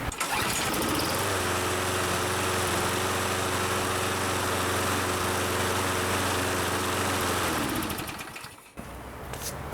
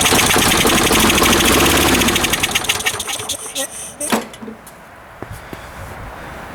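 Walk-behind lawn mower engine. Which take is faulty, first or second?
second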